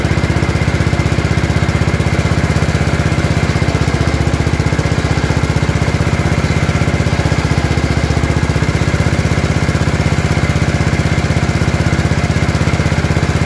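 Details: Gravely 814 tractor that sat outside for years, restarted after an oil change: single-cylinder engine thumping at a steady, regular beat with no stumbles or misfires; running evenly.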